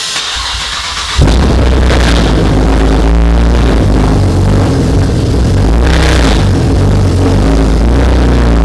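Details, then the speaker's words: Camaro LLT V6 just fitted with ported LFX intake manifold and Jacfab Extendolator: catches after about a second, steady even idle with no hiss or stumble, checking for air leaks; normal start and idle. "i'm going to go ahead start it up see if there's any weird idle see if there's any air leaks from the front and yeah go from there"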